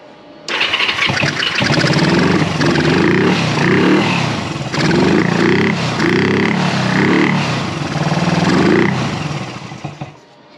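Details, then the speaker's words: 1974 Honda CB360 twin after carburetor work, started on choke: lumpy, uneven beat with surging revs, as if running on only one cylinder. Both plugs are connected and the cause is unknown. "like it's only running on one cylinder"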